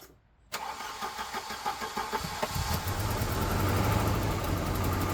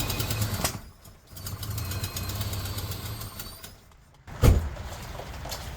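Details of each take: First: Volvo 240 after engine replacement, petrol carbureted engine with new spark plugs and roughly adjusted distributor, cranks briefly at about three pulses a second, catches and settles to a steady idle; earlier tappety/pinging noise suspected predetonation. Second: Volvo 240 after engine replacement, first run: low uneven idle with fast light tapping on top, more tappety than expected and not healthy-sounding; oil level full and clean, cause unknown, carburetor adjustment next.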